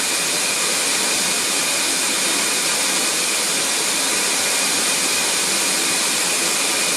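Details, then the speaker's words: Record Power CamVac CGV286 dust extractor, both motors running without baffles, meter at the machine reading 85 dB; loud constant air rush with thin high whistle, ear-ringing if run continuously; normal running. "okay just took a level meeting reading at the machine itself and it went up to 85 so getting quite noisy and if that was running all the time it certainly would start making your ears ring"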